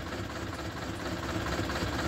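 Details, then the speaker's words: Eicher 11.10 BS2 diesel truck with low pickup complaint, running: heavy uneven shaking throb and loping idle with strong vibration; pump fuel pressure or injectors suspected. "Vibration भी है कि यह जिन इसका start है और इसके अंदर बहुत ज्यादा वाइब्रेशन है"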